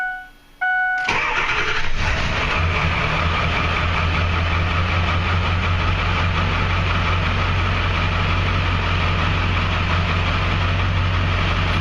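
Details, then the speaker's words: 2002 Ford Super Duty Power Stroke diesel after glow plug relay replacement, previously starting oddly; short crank, catches right away and settles into a steady, even low diesel idle. Normal diesel start and idle. "Even though the wait to start light goes out, the glow plugs are still energized. I mean, it should light right off no matter what."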